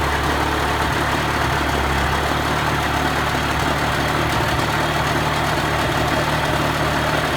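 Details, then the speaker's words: Mercury 35 hp two-stroke outboard after carburetor fine adjustment raising idle, running in forward and reverse gear; low steady burble without stumbling or dying; normal smooth idle. "he I just had to make some find adjustments on the carburetor to get it running either increase the idle a little bit and that seemed to help it smooth out it in neutral and then keep it running when it went into forward and reverse gear"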